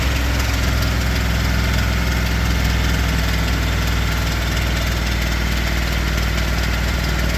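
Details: 2022 Ford F-250 7.3 V8 gasoline at 25,000 miles, idling: faint, loosely timed tapping near once per second over a deep idle; owner suspects bad lifters, cause not confirmed.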